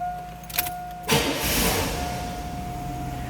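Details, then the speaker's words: 1983 Buick Riviera convertible, 55,117 miles, stored in a controlled environment: brief crank, fires at once and settles into a smooth steady idle with a seatbelt chime; no warning indicators, easy healthy cold start. "easily it starts, how smooth it runs. No warning indicators, just that fasten seatbelt light."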